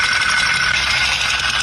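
A harsh, tinny clatter sits over a steady idle with little low thump, consistent with a broken piston ring knocking in the bore.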